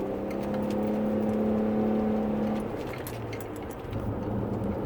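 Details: 2009 Nissan Murano driving with a thin steady squeal from front passenger side, dash or wheel area, nearly constant, easing when turning left; worsened over a year, bumper tightening didn't fix it; cause unknown.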